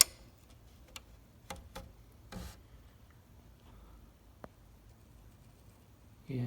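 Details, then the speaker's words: Chamberlain garage door opener whose door stops at various spots: sharp, irregular relay clicks as a relay on the board picks and drops out and loses connection. A cold solder joint is suspected and was resoldered, fixing it. "it's one of those relays picking. And what's happening is it's unpicking and then it loses connection and the garage door doesn't open or it gets stuck."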